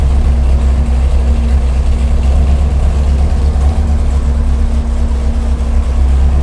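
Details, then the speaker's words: Big block Chevy 489 on the dyno: deep idle with an uneven, lopey beat from one dead cylinder. Plug wire or boot suspected; spark plugs may be the wrong type for the heads. "got one cylinder that's not working. Let's check the wire."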